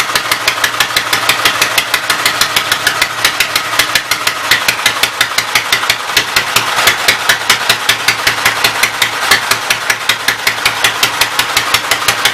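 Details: Sharp, even ticks about five per second with thin, uneven note: Westchester engine started by belt starter generator after timing bump, running rough on full choke; still needing ~3/4 choke signals remaining issues.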